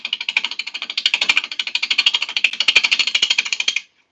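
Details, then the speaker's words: Wet, freshly felled wood being bowl-turned on a lathe: rapid uneven high-pitched chatter, about three hits a second, as the gouge skips over the rough bowl bottom in an interrupted cut; it persists until the bottom is smoothed. "In case anybody's wondering why that sounds so bad. You can see how rough this bottom is right now. And we got to get that smooth before that rough noise is going to stop."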